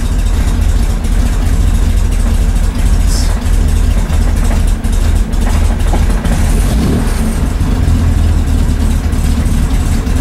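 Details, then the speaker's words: 1965 Chevy Corvair on first start after installing an electric fuel pump, after sitting: engine keeps sagging and needs repeated throttle blips to stay running, not holding idle; owner suspects valve noise. "I don't like that sound we're not holding idle come on baby old Idol"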